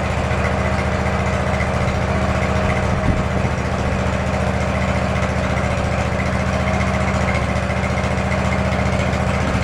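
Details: Field-find lawn mower engine running from its own tank after fuel is added (carburetor had two-stroke fuel, earlier smoke smelled of 30-weight oil): an even single-cylinder chug at steady speed with no stumbles or surging, drawing fuel and running smoothly.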